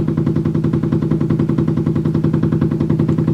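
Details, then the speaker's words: Washing machine on spin cycle, heard through adjacent wall: heavy regular thumping about twice a second as the drum slams the wall and floor; violent banging during spin. "every time it spins it slams against the wall and the floor down there and it just makes this noise every time is there something wrong here"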